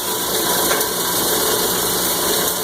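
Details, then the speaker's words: Cumberland granulator after grinding about 10 pounds of copper wire, left running to clear residue into the hopper: the tune changes to a steady, even whirr with no chopping surges. This is normal empty running. "So you can hear it now. The tune has changed. She's done grinding."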